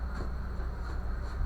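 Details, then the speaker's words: Brastemp microwave running with a cup of water after repair: steady, even low hum with no buzzing or rattle; the noise when switching on was blamed on a fault or short inside the magnetron. "eu abrir novamente né acabou o barulho funcionam normalmente tá"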